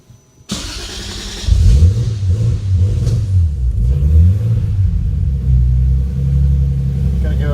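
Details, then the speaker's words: 3-litre six-cylinder car, first start on newly installed AEM Infinity 506 ECU, firmware just updated, no calibration, wrong injectors, idle motor not set: catches then low uneven idle hunting in pitch with throttle blips; untuned base map. "Idle motor's not set up, and it's the wrong injectors, but it is now 7 minutes and 30 some odd seconds that I started this from doing the firmware update and choosing all the right sensors."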